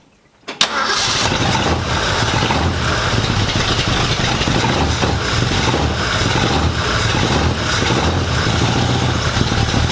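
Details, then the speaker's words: Freshly rebuilt 1965 Ford Mustang during heat cycle after a suspected bearing failure; restarted, it gives a sudden loud, harsh rough roar for ten seconds with no smooth idle, then cuts off and locks up. "well i know you guys heard that one i things just about blew up in my face and it cut off and locked up"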